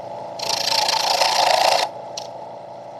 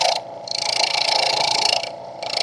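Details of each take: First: Wood lathe at 1680 rpm, Vicmarc Escoulen eccentric chuck, wood with thin sections far off the headstock: harsh rattling buzz in long bursts with ringing about four times a second; chatter from too heavy a cut. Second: Wood lathe turning a Christmas tree on a Vicmarc #3 eccentric Escoulen chuck, cutting close to the headstock with a slightly bigger cut: even hissing in steady passes, short pauses, no vibration, buzzing or rattle. Smooth cut, no chatter.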